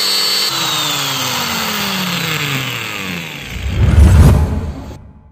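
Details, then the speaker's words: Magtek angle grinder reassembled after repairing rough running and suspected burning, blamed on a failed bearing; test run winds down smoothly with no grinding or rattle; bearings sound healthy after repair. "Di sini mesin gerindanya telah selesai kita pasang. Kita tes dan kita dengarkan bunyinya, apakah ada kelainan."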